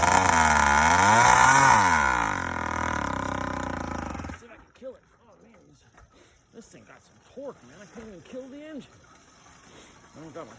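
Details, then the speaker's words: YD100 two-stroke first startup with Dio reed valve, ported cylinder and windowed piston; revs high and hunts erratically before dying; owner suspects the uncapped boost port is causing the crazy idle. "i didn't try it without that that might be what's giving me that crazy uh idol but no matter what i gotta cap that off"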